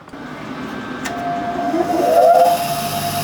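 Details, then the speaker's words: SNNC 583 P2 tool and cutter grinder motor running with the wheel removed; it previously had a nasty vibration on this side. It spins up to a clean, steady whine with no wobble or rumble. Normal, vibration-free motor run. "Sweet as a nut, that, no vibration. Really happy."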